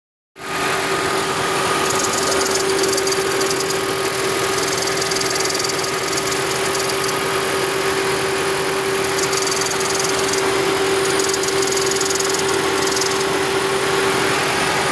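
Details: 2010 Toyota Prius with over 300,000 miles, engine running: steady airy hiss with a faint hum, probably from the EGR valve not closing completely; removing and cleaning the valve made it disappear.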